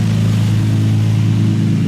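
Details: Infiniti G35 V6: steady, even low idle with a smooth firing hum and no misses, knocks, ticks or blow-by; healthy.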